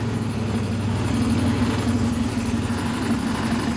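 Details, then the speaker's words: Honda Click 150 scooter idling after the noisy roller was checked; owner suspects the connecting rod: fast, even chugging with a faint steady knock underneath, still noisy, vibrating, still stalling; cause not yet confirmed. "Ayaw kasi sinasabi na may-ari baka daw connecting rod. Huwag natin masyado sigahan. Namamatay pa. So ayan yung ingay. Maingay pa rin siya."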